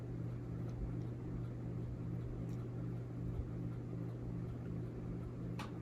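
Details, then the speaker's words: Hampton Bay Quick Connect ceiling fan, quiet on low; on high, a constant low electrical motor hum under the airflow. The cause is unknown. "okay so on low it was pretty quiet but now it's starting to hum a little I don't know if you guys can hear that it's also making a very slight ticking noise not sure what that's all about"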